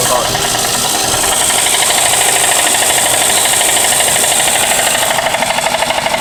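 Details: 1992 Toyota Camry 4-cylinder that cut off on freeway while low on oil, oil and treatment since added: fast hard ticking knock about three per second over idle; internal knock suspected, cause not confirmed.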